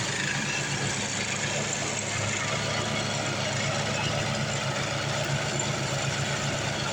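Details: Craftsman 826 track-drive snowblower after a new 31-inch auger belt replaced the broken one: steady, even engine drone under a constant hiss of thrown snow, no surging or slipping. Normal running with the auger engaged.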